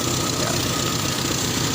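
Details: Toyota Kijang idling after alternator wiring repair, charging now normal: even steady idle with a faint belt-driven whine and no knocks or stumbles.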